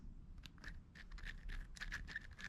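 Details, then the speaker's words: Traxxas X-Maxx RC car outer wheel bearing in the steering knuckle, spun by hand; dry, scratchy, uneven rasp instead of a smooth whir, grinding over grit and debris inside; bearing needs replacing. "here rough that sounds there's grit and stuff in there i can feel it i mean i'm trying to roll it as smooth as i can and it just doesn't roll smooth it is like grinding over dirt and debris and everything else inside of there"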